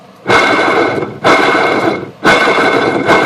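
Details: 1993 Sunbird boat's OMC Cobra sterndrive: a rough, gritty whirring in bursts from a worn gimbal bearing, steady at all trim positions and even at idle, with the engine barely idling until adjusted to about 800 rpm.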